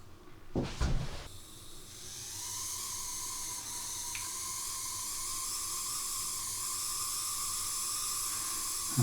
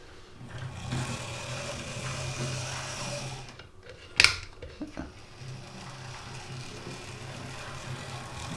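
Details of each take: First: Second-hand Oxford Rail Class 415 Adams Radial 4-4-2T model locomotive: a faint, steady high whine over a soft hiss while running. It persists after oiling the top bearing, likely from a poor motor; owner plans to run it in on a test track. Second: Oxford Rail Class 415 Adams Radial 4-4-2T model locomotive, second-hand with a poor motor, after lubrication service and pickup adjustment: soft, even motor hum under light track noise with one sharp click, much quieter; normal running in both directions.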